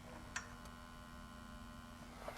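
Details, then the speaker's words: Extron VTG 300R test generator while charging from its branded 24 W power brick, drawing about 15 W: a faint, steady, constant-pitch low buzz, which the user manual says is a normal charging buzz. "got a little buzz it's drawing about 15 watts"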